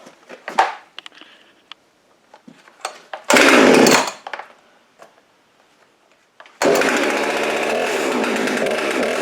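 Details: Husqvarna 350 18" chainsaw after rebuild with new cylinder, piston, ring and gaskets, muffler gasket left off (possible exhaust leak), compression about 75: after handling clatter, fires and holds a steady clean high-speed run; runs perfect.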